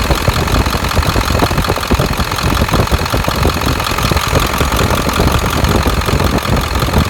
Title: 7.3 Ticking noise